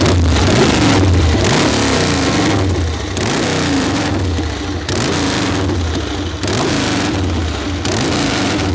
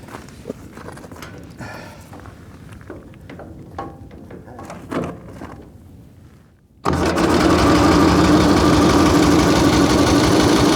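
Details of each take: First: Excelsior V-twin ("Harry"), first start in 3.5 years after wet spark plugs were swapped for new ones: strong, lumpy beat climbing and dropping cleanly with each throttle blip, firing evenly with no misses; normal running. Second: Excelsior V-twin motorcycle, first start in 3.5 years with a sticking carburetor float: catches and runs with a steady, lumpy beat of about 220 per minute, firing on one cylinder only; plugs found slightly wet.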